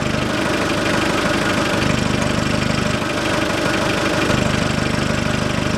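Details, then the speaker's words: 2006 Hyundai Porter 2.5 turbodiesel, manual, 170,000 km, idling with the intake's rubber valve lost and the tape removed from the air filter housing: a rhythmic raspy growl like a blown exhaust. Unfiltered air is leaking into the intake, so the housing is being replaced. "машина начала рычать как будто пробила глушитель А сейчас заведу сниму скотч и будет слышно Как изменится звук работы"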